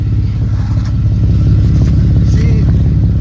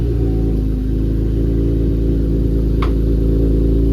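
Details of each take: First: Camaro (392) after catalytic converter welding: loud raw V8 idle burble with an uneven chuffing pulse, exhaust leaking at a loose pipe joint that needs tightening. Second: Chevrolet Camaro V8 after catalytic converter welded: deep steady idle burble with even pulses, no ticking or puffing exhaust leak, extra noise gone; normal idle.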